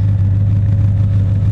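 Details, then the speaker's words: 1978 Datsun 280Z with Jag-a-tron kit V8 swap and T56, warm idle heard walking along the car: deep steady burble with an even beat, no misses, knocks or surges; the electric fan cycles on and off as needed. "you can can kind of hear the fan running the fan kicks on and off as needed just walking down the side of the car again you're an idling"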